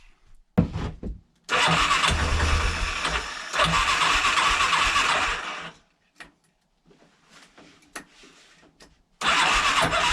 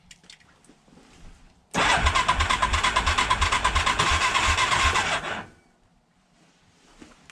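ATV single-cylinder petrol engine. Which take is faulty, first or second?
second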